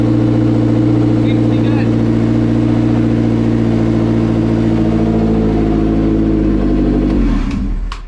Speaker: that's all I needed to do. Make sure that the wideband was working, that it starts up, and I think it's ready.